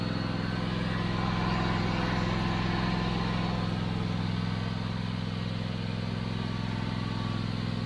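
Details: Toro TimeCutter 5060 zero-turn mower running after an oil change with fresh oil topped up: strong, even engine beat of about three pulses a second, no misses or knocks; running smoothly.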